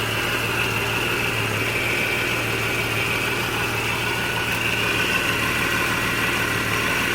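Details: 1989 Jeep Cherokee Pioneer, 4.0L inline-six Renix engine, AW4 transmission, just started after a DieHard Platinum AGM battery upgrade: steady, even idle hum with no knocks, ticks or misses; the engine sounds healthy.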